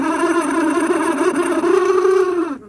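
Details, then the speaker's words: Original blower motor on a Jeep Comanche MJ, run after cleaning its electrical connections: a droning whir with a wavering, rough pitch that sags as it winds down. Obviously bad; a Four Seasons replacement was ordered. Failing blower motor. "so that's obviously bad so I ordered uh from Rock Auto one of these four season blower motor"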